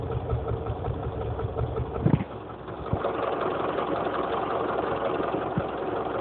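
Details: Honda CR-V engine at steady idle: a light rhythmic tapping or knock rides over the engine note, and its source can't be pinned down by ear.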